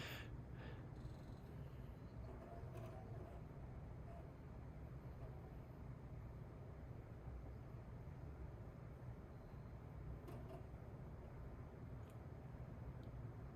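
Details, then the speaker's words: Old custom-built PC's Blu-ray optical drive: constant low buzzing hum with no change in pitch; still quite loud even after attempting a fix, though slightly quieter, cause not clear. "And even after trying to fix it, the Blu-ray drive is still quite loud. But it is a little quieter, strangely enough. All right. You can hear that buzzing, right? That's from the Blu-ray drive."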